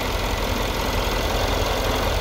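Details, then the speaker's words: Mercedes S63 V8, 80,000 km, cam timing readings all at 22.5 degrees: dense idle with an uneven, lumpy undertone, running rough; cause not pinned down, power steering pump pulley also suspected of noise. "no no it's not it's not even running properly"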